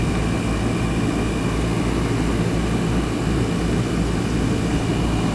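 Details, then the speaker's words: Newer Ruud AC outdoor unit, installed about 2020, not cooling until a loose wire connection was fixed, capacitor good: smooth steady compressor rumble under constant fan whoosh, no clicking or cutting out; normal running. "I think that was just a funky connection here on almost that wire for two years God nice and cold yeah sure we get a nice steady stream coming out of there"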